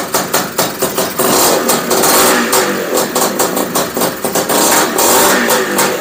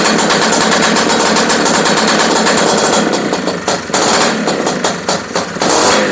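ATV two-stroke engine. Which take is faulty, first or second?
second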